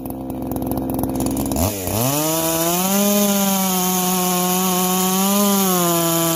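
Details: Freshly ported chainsaw with muffler mod, low hours and good piston, chain just sharpened, warm: revs up sharply, then holds a high, steady scream with a slight dip and recovery as it bites into wood; strong, clean two-stroke running under load.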